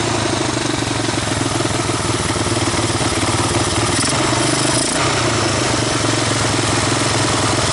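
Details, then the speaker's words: 1985 Honda ATC250ES Big Red single-cylinder after carburetor swap and adjustments, warmed up, choke off: steady idle, slightly uneven lope, no knocks, ticks or misses; engine gone through but valves untouched; normal idle. "I have been through this engine but I haven't done anything with the valves or or anything it's not bad not a bad idle chokes off warmed up at this point yeah it's not too bad"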